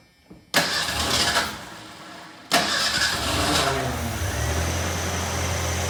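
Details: 1988 Ford Ranger after motor replacement, fuel line filled and two gallons in the tank: two cranking bursts, the second catches and settles into a steady low idle. The engine starts and keeps running.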